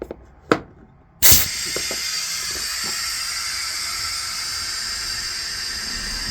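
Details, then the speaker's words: Bus with air-operated doors, engine running to build tank pressure: a click then steady high hiss of compressed air escaping from a faulty door controller, causing the sliding door to misbehave; controllers to be replaced. "So if you listen carefully, you might just hear some air leaking out of here. And that's coming from somewhere in there."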